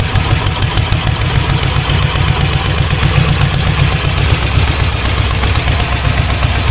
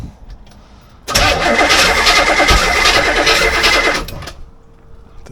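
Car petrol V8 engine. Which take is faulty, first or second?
second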